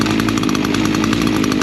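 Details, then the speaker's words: Echo trimmer after carburetor low and high jet adjustment: fast even two-stroke popping at steady idle, no surging, head not spinning; normal idle. "And your idle has to be checked. It's a nice good idle. Uh the head's not spinning or anything."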